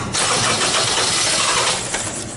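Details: 2001–2002 Honda CR-V, customer complaint starts then cuts off, code P0341 CMP/CKP incorrect phase: cranks and catches in a loud rush, then fades within seconds instead of idling; cam/crank out-of-phase suspected, not confirmed.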